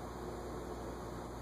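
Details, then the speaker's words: Early-1980s Envirofan Gold Line 36-inch industrial ceiling fan, model 136F-7, on a solid-state control at 0.11 A: low, steady electrical buzz but the motor is not turning. It starts at 0.12 A. "0.11. I hear it buzzing, but I don't see it moving."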